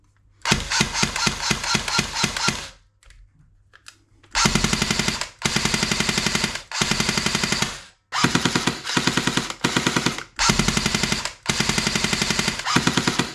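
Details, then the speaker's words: Airsoft Thompson AEG after full service, shimming, fresh grease and stage 1 hop-up upgrade, on a 7.4 V Li-ion battery: crisp, evenly spaced cycling with no grinding; normal gearbox cycling. "Okay, nice and consistent, and currently doing around 10 rounds a second, and that is using this battery here,"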